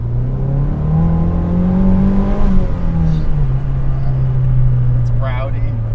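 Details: Mazdaspeed3 first start after a lower-mileage stock K04 turbo swap, high-flow cat downpipe and turbo oil priming: steady low engine note climbs with a smooth rev and settles back, no rattles or squeals; running fine.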